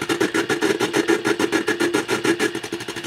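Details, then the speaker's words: Tube radio receiver, probe moved to the IF stage near a glass tube: buzzy mid-pitched tone pulsing about three to four times a second, changing as the probe moves, with slight filament buzz; IF stage parasitic oscillation. "So let's move over here to the IF stage. So we can see that the oscillation is in the IF section."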